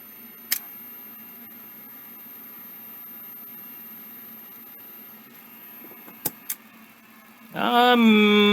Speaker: maybe that's working it sounds kind of terrible this one seems like it's in worse shape